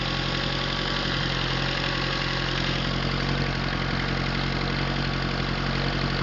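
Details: Atomic 4 inboard engine overhauled last summer (new pistons, rings, valve springs, plugs, wires, higher-flow water pump), run unloaded without choke on a test stand for a 17-foot homemade wooden boat, alternator off: smooth, even idle, steady low thrum, no knocks or misses; normal idle.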